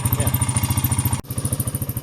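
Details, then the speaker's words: 2009 Honda Rubicon T500 (Foreman) ATV after fitting a new G23 battery: single cylinder idles with even, steady thumps, no misses or clatter; healthy, charging at 14.3 V. "new battery took care of the problem yeah we should be good to go G23 category battery and now she starts all the time no problem"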